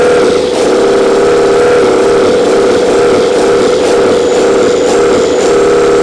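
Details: Old 12-valve Cummins diesel, stored almost a decade, first start after freeing a seized fuel solenoid: smooth, even idle with steady rhythmic chug, no knocks or misses; not much blow-by. Normal idle.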